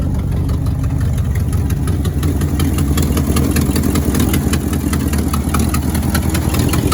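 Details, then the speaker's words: 1967 Ford F100 on its first start after revival, before warming up: a lumpy idle with a puffing, ticking chuff on the exhaust note from a small exhaust leak on one side. "there got a bit of an exhaust leak over here but that's kind of normal for these"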